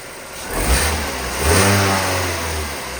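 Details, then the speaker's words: Vauxhall Astra salvage rebuild, first start after non-start, fault codes 24 and 59 still present and coolant needed: catches quickly, brief rev, then smooth even idle without misfire or knock; doesn't sound too bad. "Right guys, so as you can see, the engine has actually started up. It doesn't sound too bad, which is absolutely brilliant."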